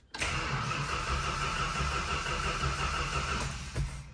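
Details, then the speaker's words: Chrysler 440 V8 (RB series) on a cold start: quick, strong, even whir from the typical Chrysler gear reduction starter with a characteristic wind-down, then it starts right up. Normal cranking. "there we go so there's your famous Chrysler gear reduction starter on this Mopar 440"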